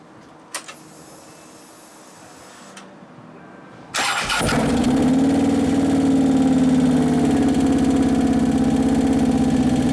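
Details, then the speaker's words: 2011 Harley-Davidson Road Glide Twin Cam restarted after motor repair, with an oil pressure gauge fitted: it catches, then an even clatter about four times a second rides over the idle. The hydraulic lifters are not yet pumped up. "that clatter hydraulics not pumped up"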